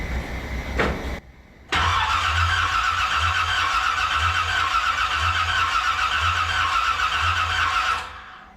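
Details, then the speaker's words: 1981 Corvette with rebuilt engine just installed, first start attempt, battery power questionable: steady cranking about four pulses a second for six seconds, never firing; crank no start, owner suspects choke adjustment. "She wants to. She really does. You can hear it in her voice."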